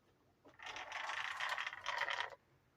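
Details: Arrma Senton 3S RC car (first RC vehicle): spinning two wheels together produces a quick run of sharp ratcheting drivetrain clicks then a single snap, while single wheels spin silently; owner checking whether this clicking is normal.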